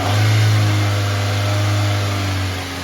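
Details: 2006 Toyota Corolla engine revved from idle during a fuel injector scope test, with injector frequency rising with rpm. A smooth, even low drone that eases as revs settle, with no ticks or knocks. Normal running.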